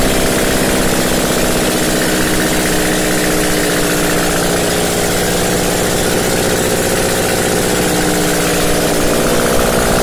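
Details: First start after blown head gasket repair: loud, steady engine holding a fast, even beat just above idle with no knocking or ticking, no oil light; running normally.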